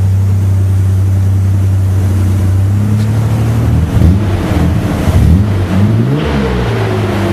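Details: Mazda/Ford Ranger project truck with newly fitted street-legal exhaust (one hanger so far, power steering pump swapped): deep low idle rumble, then a few smooth rising and falling revs, no rattles. Normal exhaust note.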